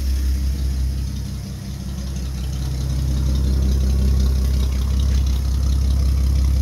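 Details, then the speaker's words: Old Nash flathead six, 6-volt positive earth, cold first start after long storage: low, steady rumble with an even beat and no knocks or misses after blowing some black soot; idling smoothly. "sweet old girl we got her running"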